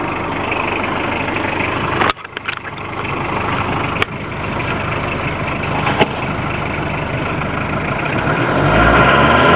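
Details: Citroen BX under acceleration: a dry, raspy hiss grows with revs but is not like an air leak; it seems to come from the footwell, cause unknown, poor-quality audio.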